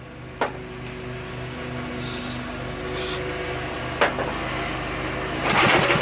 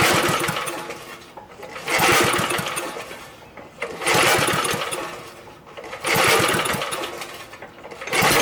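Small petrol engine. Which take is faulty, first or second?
second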